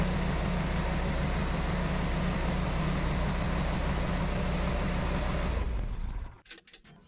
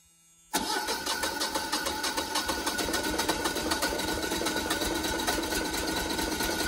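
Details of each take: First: Generac 24kW standby generator after grid power returns and the transfer switch transfers back: steady, even unloaded engine drone in cool-down mode, then a clean automatic shutdown leaving faint clicks. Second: First-ever start of a newly installed Generac 24kW standby generator: the engine turns over with steady rhythmic pulses for several seconds without settling into a clean idle, a long crank the owner suspects is due to air in the fuel lines.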